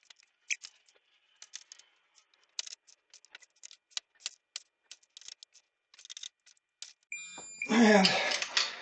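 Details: Torque wrench tightening Kawasaki Ninja H2 cylinder head bolts to 49 ft-lb during engine rebuild after bent valve: scattered clicks and handling taps, then high electronic beep near end; normal target-torque alert.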